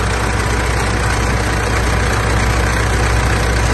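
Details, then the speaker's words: Mitsubishi L200 Triton 3.2 direct-injection diesel idling after start: dense dull clattering rattle over low rumble from a worn timing chain, recorded before disassembly; fixed with a semi-new original chain kit. "esse ruído é proveniente da corrente de comando dela"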